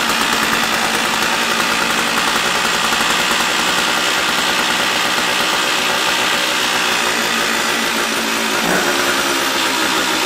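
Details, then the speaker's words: Stihl 056AV chainsaw just after its failed Bosch ignition was replaced, no bar fitted, not yet warmed up: bright, buzzy two-stroke note holding steady without stumbling or dying. Runs cleanly and sounds healthy; still to be tested warm. "now wow okay that sounds really healthy now the real test is once it warms up"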